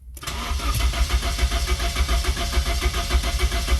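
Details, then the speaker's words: Nissan 240SX sitting 24 years, running on old dirty fuel, cranks at a steady three-plus beats a second and never fires, with no fuel pump hum. Crank no start; fuel pump fuse found blown. "well it didn't start I don't even hear the fuel pump running we might have to check that real quick"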